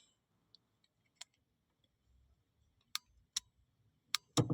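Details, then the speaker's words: Vanagon radiator fan relay bench-tested with power on terminals 85 and 86. A single crisp click each time power is applied, no chatter or buzz. Normal relay click. "Now you can hear it click. And I'll put the multimeter on so we can see that it goes from open circuit to close circuit on the other contacts."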